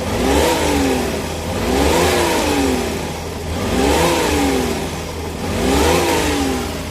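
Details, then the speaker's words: Freshly overhauled Suzuki DA64W turbo K6A engine, still low on power. Four throttle blips give a ragged, popping, misfiring exhaust, and no turbo sound is heard as revs rise; turbo suspected binding. "Murag wa katingog ang turbo mga idol."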